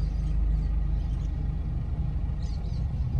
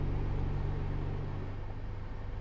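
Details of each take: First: 2010 Nissan Pathfinder heater/A/C blower after replacing the fan speed resistor, engine running: steady low air rush building and holding even with no rattle or whine on high; fan speed now adjustable and switches off. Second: 2010 Nissan Pathfinder A/C heater blower stuck on one speed: the fan keeps humming at a fixed speed, doesn't change with the dial and won't switch off; a failed fan speed resistor under the passenger footwell is blamed.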